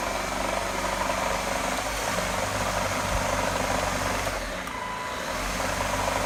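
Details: Gtech AirRam K9 cordless vacuum with temperamental switch and battery issues: steady motor hum with uneven low rumble and rattle underneath, always present and progressively worse; suspected rough or failing motor, unconfirmed.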